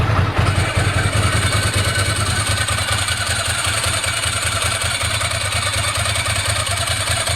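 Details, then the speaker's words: 1998 Ducati ST2 after a new open dry clutch and plates, fuel pump, HT leads, Brisk plugs and lithium battery: uneven twin-cylinder tick-over with light metallic clatter when the clutch is pulled in, the usual open-clutch rattle. Normal dry clutch rattle. "Ticks over beautifully now. You can hear the clutch when I pull in the clutch."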